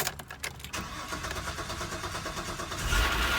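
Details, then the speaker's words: Cadillac after a no-start repair: quick cranking, then it catches cleanly and settles to an even idle. The owner notes a remaining noise, which he thinks may be a failed timing belt tensioner. "look at that crank right up crank right up"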